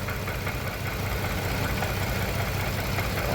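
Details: 2015 Range Rover Sport petrol V8 idling with an uneven, lumpy beat from a cylinder 5 misfire after an engine replacement; compression loss from a suspected burnt valve, later confirmed at teardown.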